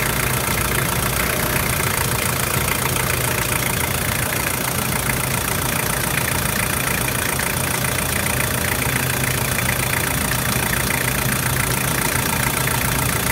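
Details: Toyota 1KZ-TE diesel (Prado/Hilux), cold, running after injector and glow plug replacement: a steady, even diesel clatter at idle with no misses, hunting or surging. Healthy idle, with a little smoke that is normal for a cold 1KZ.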